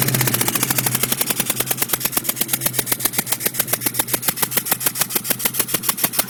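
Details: 2002 GT engine running with the third cylinder passenger-side spark plug blown out: sharp, loud puffing crack about three times a second with idle; combustion escaping the plug hole, fixed by rethreading.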